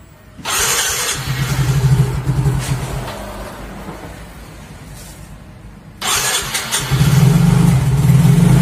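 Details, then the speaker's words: Yamaha Mio Soul GT (YMZ FI) scooter, unused for a week, after a dropped battery was charged and a dead fuel pump fixed: two long cranking bursts with the starter whirring before it catches and idles; hard starting. "Jadi motor ini sebenarnya udah seminggu nonggok, jadi ya hidupnya agak susah guys."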